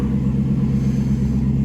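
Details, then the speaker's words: 2016 Chevrolet Caprice after fuel rail and injectors were reinstalled: smooth, even idle with a steady low hum and no stumbles or misfires. It had run very rough before, and a rescan shows no faults with the check engine light off. "Sounds smooth. It was running rough as heck when I shut it off."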